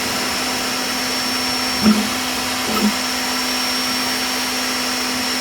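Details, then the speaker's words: Creality K1 3D printer running a print: a steady fan hiss and low hum with faint motor chirps; the owner thinks most noise is the secondary part cooling fan, plus a motherboard fan always on while motors run; normal printing noise. "I think most of the noise comes from the secondary part cooling fan. I also noticed that the motherboard fan seems to be always on whenever the motors are engaged. This is kind of unnecessary and annoying."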